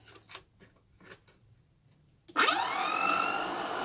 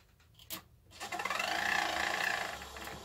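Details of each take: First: VW Squareback fresh air box blower fan, after restoring the air box (it previously rubbed on something): spins up in about a second to a steady, smooth hum without rubbing or rattling; normal operation. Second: VW Squareback fresh air box blower fan, powered on bench: light rhythmic scraping about four per second over the whir; fan rubbing its housing, later fixed by repositioning.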